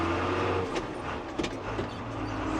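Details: New Holland T7 225 Auto Command pulling a loaded big-bale cart on a hot day of about 35–36°C. The diesel settles under load as the drive takes up smoothly, with no judder, slip or grinding: normal clutch engagement.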